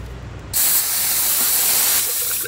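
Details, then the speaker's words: Key on with the IPR valve activated and shop air applied: a sudden loud, steady hiss as oil shoots from the oil filter housing, then a wet gurgling sputter. Failed high-pressure oil pump check valve backfeeding pressure into the lube system. "It's backfeeding pressure through the pump into the oil system. Backwards. You can hear it gurgling too. That's all the proof we need to know that the check valve of the pump is no good."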